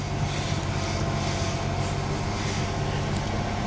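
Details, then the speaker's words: Salvage auction Mercury Cougar, possibly about 70,000 miles, just started: low, smooth, even idle with no ticks, knocks or misses, no dash warning lights; quiet, healthy normal idle. "no warning lights on the dash important window works i don't need another damn cougar but i gotta have this one"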